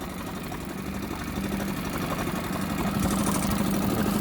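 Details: Honda BF5A four-stroke 5 hp outboard, first start after sitting 2.5 years: smooth, even low putter at idle with no knocks or misses. Normal idle.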